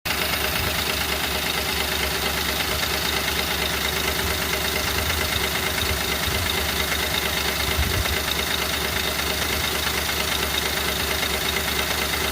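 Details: 2010 Ford Crown Victoria 4.6L V8 idling: busy metallic tapping and clatter from loose timing chain after plastic tensioners broke; fixed with full timing chain kit replacement, cleaning broken plastic from oil pan advised.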